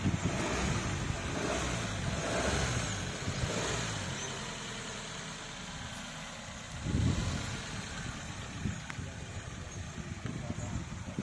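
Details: Maruti Suzuki Baleno Alpha petrol, 76,262 km on the odometer, recorded from inside the cabin with the doors closed: a muffled, low, steady hum with no knocks or misses; the engine idles normally.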